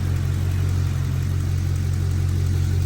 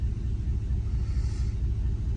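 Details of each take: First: 2010–2014 5th-gen Camaro after fixing a cylinder 2 misfire (P0302/P0202) with a new spark plug, with no codes and no fuel leaks: a low, even idle rumble with a steady beat and no skipped firing. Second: 2010–2014 5th-gen Chevrolet Camaro, idle with codes P0302/P0202: deep uneven lumpy stumbling pulse from a cylinder 2 misfire; injector circuit open code points to a failed cylinder 2 fuel injector, new spark plug didn't fix it.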